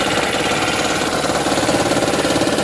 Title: 2010 Prius - Engine Knocking (Raptor Sound)